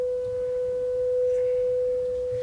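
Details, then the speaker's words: Vintage 1980 Technics SA-202 stereo receiver on the bench during power amplifier repair (faulty STK0029 chips diagnosed), playing a pure 500 Hz test tone through dummy-load internal speakers; clean steady tone, no hum, crackle or dropouts, signal from both channels, normal output. "this one of the speakers is on the other side of the chassis but there we go we appear to have signal coming out of both channels"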